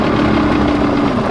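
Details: 2017 Toyota Tacoma SR5 TRD double cab 4WD, about 140k miles, with A/C or heat on: a loud steady droning rumble from the blower under the passenger glove box; the cracked fan wheel is loose on the motor shaft.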